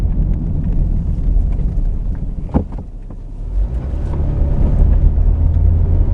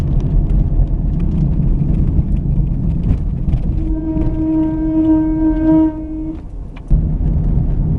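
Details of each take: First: Just do that again quickly. No more noise. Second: Car braking with a seized caliper slide pin (no grease under boots) holding the pad on: loud steady high squeal rising as it slows, stopping at standstill; noise gone after caliper replacement.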